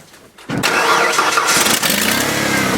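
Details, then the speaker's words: Older used truck being evaluated for purchase, totally cold start after sitting ice cold in midwinter; short crank, fires right up and runs smooth with no stumbling; battery at least fairly decent; normal cold start. "that's a totally cold start on that motor so the motor from sitting ice cold in the middle of winter fires right up it's running smooth everything seems okay"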